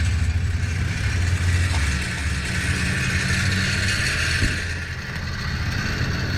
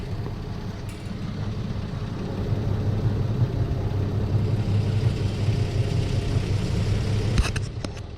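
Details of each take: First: 2008 Infiniti G35 idling, heard from outside, with a loose, uneven metallic clatter under the car from an exhaust pipe C-clamp whose bolt rusted out; fixed by replacing it with a 2-inch adjustable hose clamp. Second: 2008 Infiniti G35 exhaust at idle, heard from outside, after replacing a rusted-out, loose C-clamp with a 2-inch adjustable hose clamp: a steady low rumble with no metallic rattle, the noise now gone.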